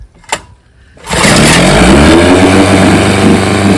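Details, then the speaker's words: Fully restored 1958 Johnson 7.5 hp outboard on a barrel test: quiet for a second, then it catches and settles into a steady, even two-stroke buzz with no misses. Normal start and run. "I've been running her she runs great let me give her a start here see how she runs"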